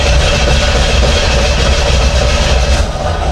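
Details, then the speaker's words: Newly bought project car with the intake cover off, cranking: steady starter cranking at about three and a half beats per second that never catches. The night before it showed oil pressure while cranking but could not get fuel, and the cause is unconfirmed. Crank, no start. "and the oil pressure gauge last night when I was cranking it actually um showed oil pressure so that was cool and I'll crank it right now but it's not going to"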